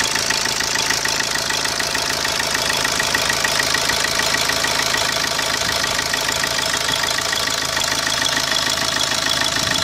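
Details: 2010 Opel Corsa D 1.3 CDTI diesel at idle: sharp bright ticking about three per second, fairly regular, over the diesel idle; abnormal engine noise, cause not pinned down.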